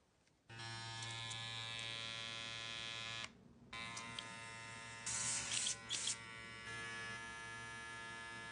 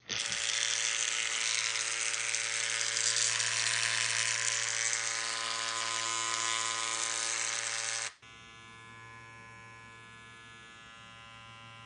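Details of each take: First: Babyliss hair clipper after fixing a rattle: steady even high-pitched motor buzz with low hum, no rattle; runs smoothly. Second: How to Silence the Rattle:Fixing the Annoying Noise in Your Babyliss Clipper #shorts#clipperrepair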